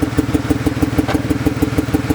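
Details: BMW E36 on a cold day: an uneven idle with a regular stumble about six times a second. A dead-cylinder check was done by pulling plugs and unplugging coils; failing coil pack blamed for the misfire.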